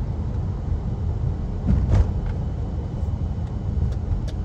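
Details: Honda CR-V with 150,000 miles, driving in winter after a large chunk of ice was hammered out, which had caused a thumping like a flat tire. Even road rumble and engine drone, with no rhythmic thump following wheel speed. It drives smoothly now.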